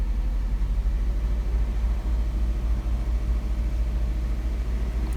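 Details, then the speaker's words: 2005 Nissan Altima 2.5 four-cylinder, 200,000 miles, code P0301, cylinders 1 and 4 misfiring, lightly revved: deep lumpy rumble stumbling unevenly; caused by bad valve cover tube seals, fixed by replacing the valve cover. "we rev it up a little bit oh yeah she's misfiring really good right there"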